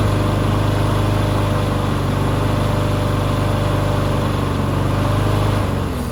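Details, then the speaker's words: Push mower that sat six years with water in the engine, running on bad oil: runs fast and steady, then suddenly sags and dies near the end; the loose throttle lets the speed hunt, causing stalling. "I was just having a problem with the throttle, just moving around, so it would be way up high and then it would just shut off."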